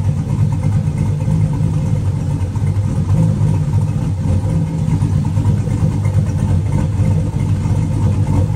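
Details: Turbo 4.8 V8 with Trick Flow 216/220 cam and Elgin 1838p Sloppy Stage 1 cam, at full running temperature: steady lumpy idle with a soft, even exhaust chop, no knocks or misses; normal cammed idle (a belt chirp is also mentioned).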